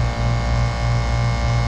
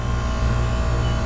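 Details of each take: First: McQuay water-source heat pump in cooling mode, compressor labouring with a deep steady hum as head pressure climbs to about 290–300 psi with 70°F inlet water; high head pressure. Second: McQuay water-source heat pump in cooling mode, after contactor replacement, with the strainer clean. An even, constant low hum with no knocking or surging, at 55 psi suction and 185 psi head, down from over 300 psi before: normal running.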